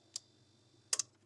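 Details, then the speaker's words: Refrigerator not cooling: the defrost timer knob is turned with a small flat screwdriver and snaps into defrost with a big click after a lighter tick, shutting off the compressor; the fan then stops, so the timer works. "that's a click hear that big click yes it means it turns off a compressor compressor is no off"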